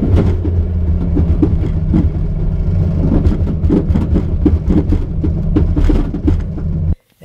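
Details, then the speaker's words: Truck driveshaft failure, owner suspects the u-joint cap came out: the shaft wedged spinning between bed, frame and crossmembers until slowing, then popped out, whipping and hitting the ground. Heavy low rumble with irregular hard thumps and clatter; the flexplate dug into the oil pan. "so the drive shaft got wedged up in here between the bed and the frame these cross members and was sitting here spinning until I slowed down enough that it eventually popped out"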